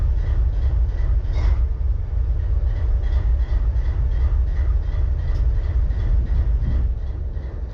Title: BNSF 4583 IDLING WITH MISFIRE